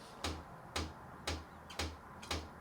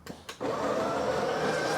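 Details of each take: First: Breville 870XL espresso machine, microphone at the pump, hot water/steam mode: steady even tick with low hum just under two per second, weak steam output; pump ticking, weak water pump suspected. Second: Breville 870XL espresso machine grinder test: a couple of clicks, then a smooth, steady high whir with no catching or labouring. The grinder works normally with the grind amount correctly set between 7 and 8.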